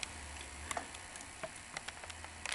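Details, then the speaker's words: Sony SL-330 Betamax VCR playing a cassette: irregular light ticks and slaps over a faint motor hum as slack tape flaps, disturbing the picture; blamed on a reel table motor and idler assembly problem, with the tape not being eaten. "There's tape slap. It's slap, slap, slap. And as it's doing that, this is what's happening with the picture."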